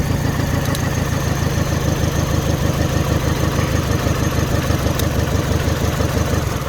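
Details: Mini Cooper idling rough after cylinder head refit: lumpy stumble about three times a second, one dead cylinder. Unplugging components to find the missing cylinder; suspect number one, could be injector, coil, spark plug or cylinder, so injector one swapped to four.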